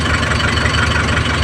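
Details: Isuzu 4JH1 Euro4 diesel after repair, including injector work; it used to stall when running off throttle. Steady, even idle with a smooth low throb, no stumbling or dying; running cleanly.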